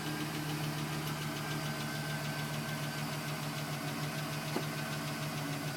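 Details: 2010 GMC Sierra with 2,000 miles, cold-start idle: light uneven tapping about three per second, still present at 4 minutes, stopping at 5 minutes 42 seconds once warm; owner questions piston slap, cause unconfirmed.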